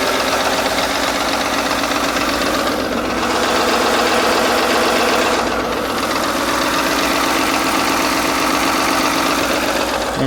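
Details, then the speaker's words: 2010 Ford F-150 V8 with cam phasers idling, about two years after new timing chain and guides: fast sewing-machine rattle, about four ticks a second; failed plastic guides or internal fault suspected; oil pressure reportedly drops to zero when warm. Timing chain rattle. "sounds horrible sounds like a sewing machine hear that it's actually not as bad as it has been"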